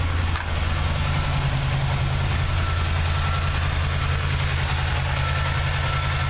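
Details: 1979 Chevy truck, 350 V8 with automatic choke: deep, steady idle with a faint uneven stumble in the beat. Plugs are clean and unfouled and compression is sound. The idle misfire's cause is still unknown.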